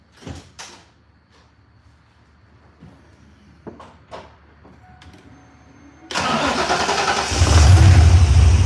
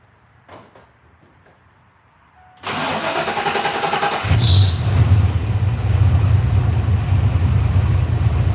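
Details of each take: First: Warm restart shortly after the engine was last run: a brief starter whirr, then it catches instantly and settles into a steady low idle. Normal warm start. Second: Carbureted engine with a Holley wideband, restarted after sitting at quarter throttle with no pumping: the starter churns unevenly before it catches into a low, lumpy idle. It starts quicker but not as quick as the second try; it smells a little rich and the owner wonders if it needs hotter spark.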